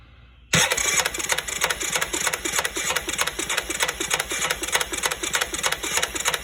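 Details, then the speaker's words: Yamaha Rhino during rebuild, compression test with a possibly inaccurate gauge reading about 100, rockers possibly not perfectly adjusted: steady starter cranking with even compression pulses about three a second, none weak; compression acceptable. "100 not too bad for this gauge I think this gauge is not quite accurate"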